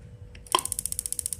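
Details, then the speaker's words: Paloma gas water heater, gas not reaching burner: the solenoid plunger snaps before the microswitch acts, giving one sharp snap then quick steady ticking with no release click about 10 seconds later; gas valve solenoid not holding. "Nah, tidak ada kan terdengar cetuk ya. Karena ini tadi sudah nyepret duluan enggak kepegang."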